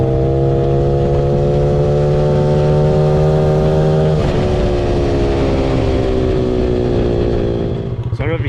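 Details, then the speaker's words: 2006 Honda CRF50 mini bike with an eBay nitrous kit, run through second gear: revving hard, then around four seconds pitch sags and flattens briefly as the motor bogs when the nitrous is sprayed. "When I did actually grab the nitrous, it definitely affected the motor. It bogged for a second there."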